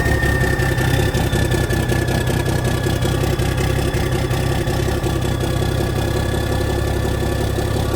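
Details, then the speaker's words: 1987 cabover truck diesel on its first cold start in years, idling with oil pressure about 40: even, steady low clatter with a faint high whistle. Sounds good for a cold start; normal diesel idle. "Hey, it sounds good. And you can't beat these old Cabovers, guys."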